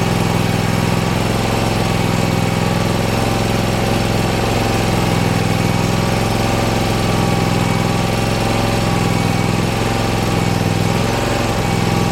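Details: Bad Boy Maverick zero-turn with a Kawasaki engine, repaired after catching fire, jacked up and started in neutral: steady, even idle with a smooth low hum and no knocks or surging. Normal running.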